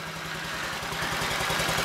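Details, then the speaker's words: 2015 Honda Ruckus that sat a couple of years, running on ignition jumper wires: small single ticks over in quick, even pulses with a soft, quiet exhaust, no rattles or misfires; normal idle. "Listen to that. Listen how quiet that is."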